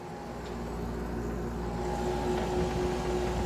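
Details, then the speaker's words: GE air conditioner at its first start of the season, fan cycled through low, medium and high and back to low: steady low compressor hum with an even tone and fan rush, no knocks or rattles; the compressor is running normally. "I love the compressor noise this thing makes."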